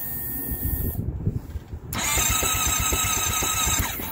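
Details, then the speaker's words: Honda CBR650F first start of the year around 5-6°C after winter storage, battery kept on a maintainer; starter whirs in fast uneven pulses but never fires; owner unsure if battery is weak or engine too cold; crank, no start. "it did not start okay I think I'll have to jump it"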